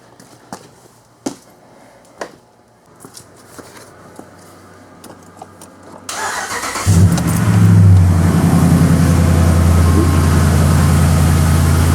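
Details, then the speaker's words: 2010-2019 Dodge Ram 5.7L V8, started after water pump replacement and vacuum bleed: starter clicks, catches about six seconds in, settles to steady even idle, no ticking or squeal; slight air remaining. "well didn't suck much down sounds good still got a little air in there for bubbling up that back back flow a little bit"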